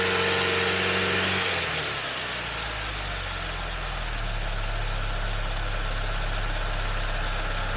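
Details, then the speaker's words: Charging system test: engine raised to 2,000 rpm and held 5 seconds, steady even fast idle, smooth, no knocks; healthy running, charging normal. "Increase engine speed to 2,000 RPMs. Keep it there for 5 seconds."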